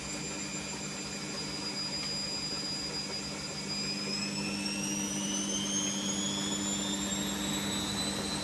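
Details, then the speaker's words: Fagor Innovation FUS 6116 IT washer dryer after earth-leak fault finding, test wash: steady motor hum with high whine climbing as the drum struggles then starts spinning, well short of 1100 rpm; possible bearing noise suspected. "It is trying to spin. There we go, that's something. That's certainly not 1100 though, but see how it goes."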